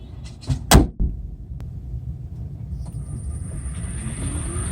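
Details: Hyundai Kona Electric, sound recorded from inside after a door thud; a steady thin high-pitched hiss/screech over a low hum from under the hood; known owner-reported issue, cause unconfirmed.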